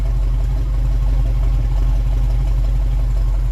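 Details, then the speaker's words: Old V8 car whose ignition timing had been set by ear, after advancing the timing, mic at the exhaust: deep even idle rumble with steady pulses, no lopes or misses, much smoother, normal idle. "i got the timing advanced and as you can tell she sounds much smoother let's go see what it's like right at the exhaust she sounds much better now"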